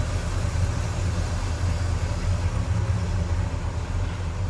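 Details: 1967 Pontiac LeMans 326 V8, automatic, new Edelbrock 4-barrel carb and exhaust, Edelbrock intake: warmed-up low idle, smooth soft even burble with no tapping or grinding; healthy engine.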